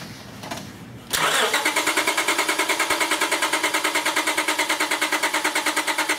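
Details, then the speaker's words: 2001 Honda Accord with an intermittent no-start (suspected bad ignition switch), cranked from a jump pack with the PGM-FI main relay unplugged. The starter whirs steadily in even pulses, about three per second, and never catches: crank, no start. "cracking it again sorry man I I tell you what guys I'm just I'm not willing to crank this thing any further I am uh concerned about overheating the starter"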